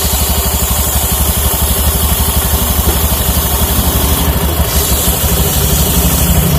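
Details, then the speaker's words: Honda Beat FI scooter: loud idle with a coarse regular rattling beat about three times a second under the engine note; engine complaint fixed, CVT still very rough. "kita coba hidupin suaranya tinggal di mananya sudah sembuh tinggal bagian CVT Kasar banget"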